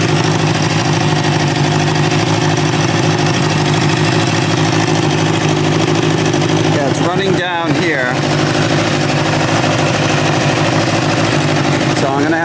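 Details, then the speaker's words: 1986 Kawasaki Ninja 600R warming up: steady, even idle with a smooth low beat and no knocks or misses. Engine runs well, but there is a water leak, to be traced by removing the top fairing. "So, good news is it seems to run really well. Um, has a water leak."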